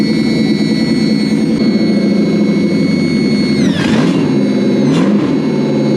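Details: Toyota/Lexus V8 newly rewired to a Link Monsoon ECU: steady smooth idle with a constant whine on top, then two quick blips that rise and settle cleanly; after the rewire it now runs like it should.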